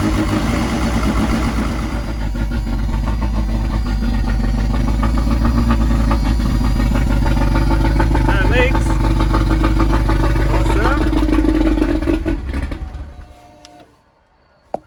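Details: Nissan Silvia S13 CA18 on E85 after Bosch 200 external fuel pump upgrade from 044: idles with even steady beat about twelve seconds, then shuts off cleanly, no stumbling or misfire, no leaks; healthy running.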